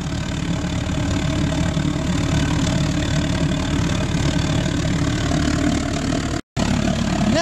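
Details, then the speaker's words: Homemade pot belly stove converted to a gravity-fed waste-oil burner with a small blower, at full power: steady deep roar, even flame noise, no sputter or pulsing; normal healthy burner roar. "now that's what I call a pretty effective pot belly stove put a fan behind that and you're going to be able to warm up a barn or a warehouse let alone your Lounge room look at that thing go bloody"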